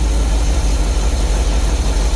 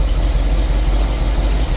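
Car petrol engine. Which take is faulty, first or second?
first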